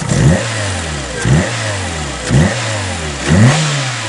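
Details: Citroen Saxo VTR, just after exhaust manifold and catalytic converter install, revved while checking for manifold leaks. Four quick blips about a second apart rise and fall cleanly with no ticking or puffing; the engine revs freely and the exhaust is sealed.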